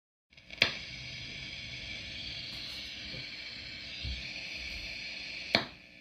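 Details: Line 6 HX One effects pedal with a steady high hiss between two sharp footswitch clicks; excessive noise from the pedal, cause unknown.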